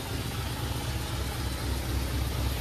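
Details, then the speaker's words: 1953 Pontiac Chieftain below freezing, after many start attempts with no choke: low, steady throb with even pulses and no misses or knocks as the cold engine settles into a smooth idle. Normal cold idle. "let's just let her idle it she'll idle now looks like she will all right she's running she runs kind of"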